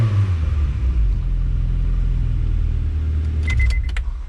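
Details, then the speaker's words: 5th-gen Honda Prelude free-revving in place, fuel pressure 45 psi at idle rising almost to 50, before fuel pump replacement: steady deep engine note, smooth and even with no misses or knocks when held up; revs freely and healthy. "Well, just idling and revving it, it does like it's supposed to. 45 when you rev it. Fuel pressure increases almost up to 50."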